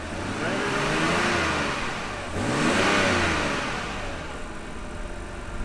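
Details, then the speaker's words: 2009 BMW 328i E90 N52 after coil reinstalled and codes cleared following misfire diagnosis: two smooth even revs and settling, no stumble or misfire. "what we're gonna do is just start the car again of course clear the codes and see if it's running fine there you go problem at all"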